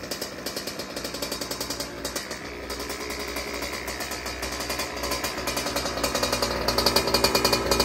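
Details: Rebuilt Goped Sport with brand-new Zenoah G320 two-stroke engine: raspy, buzzy firing with a loping beat about three to four times a second, running clean and evenly.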